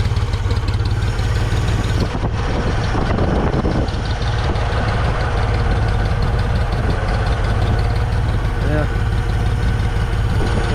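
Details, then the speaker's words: 1974 Ford 3550 industrial tractor, revived after 18 years sitting and recently seized: deep, steady low rumble at an even idle, no misses, knocks or whine, no smoke; no pressure yet, not yet hot. Normal idle. "but uh running beautiful running absolutely beautiful"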